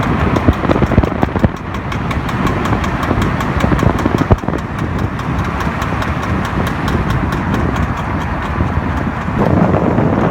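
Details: BMW E60 driving in D: a steady rhythmic knock under the driveline drone paces with road speed, with vibration felt in the car, and disappears in N. The flex disc and center support were already replaced; it was solved by replacing the driver-side rear output shaft.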